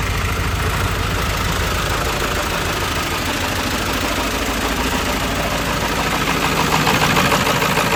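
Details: 1995 Ford F-350 7.3 Powerstroke diesel, in a repair of a crank-no-start with the IPR valve replaced: even, steady idle with light injector clatter and no misses or knocks; normal idle.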